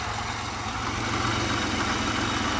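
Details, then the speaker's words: 2000 Pontiac Bonneville SSEI before head gasket and lower intake manifold gasket replacement: low, uneven idle with irregular pulsing under a steady hiss, engine shaking; rough idle. Vacuum hose sucking in, antifreeze in the lower intake and a busted O-ring seen; cause not confirmed. "Well, it sounds like it runs a lot better, but it's hard to tell."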